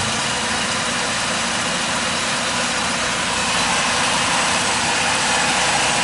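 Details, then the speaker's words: Mazda RX-4 rotary idling after an accelerator-pump problem was addressed. The idle is now even and busy with a steady burble, with no missed beats and only a faint tremble left. The earlier misfire and shaking at idle are gone. "misfire gone bro that's what I was done misfiring like it had a little sh well now I can't even call that a that's a tremble like it was shaking a little bit at idle yeah"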